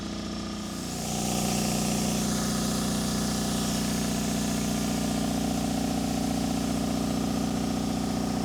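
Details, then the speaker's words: Miller Air Pak 400 welder, believed late-80s, Deutz diesel, not run in a while; cold start at about 35°F after dark, no ether; brief crank, fires at once, even diesel idle with no misses; engine in good shape; normal cold start and idle. "One thing we learned, this Deutz is in good shape. It's now probably 35 or so as it's gotten dark out here, and it fired right up without ether or anything, so that's a good sign."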